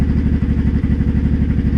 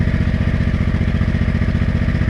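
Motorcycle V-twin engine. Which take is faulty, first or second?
first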